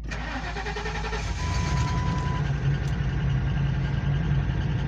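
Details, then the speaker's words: Ford truck (one of a 1997 F350 7.3 Powerstroke, 1999 F250 5.4 or 2004 E350 5.4) with an exhaust leak causing a miss, plus a fuel leak. A short burst of cranking before it catches and settles into a steady low idle. Hard starting. "sometimes it's a little hard to start on the first try"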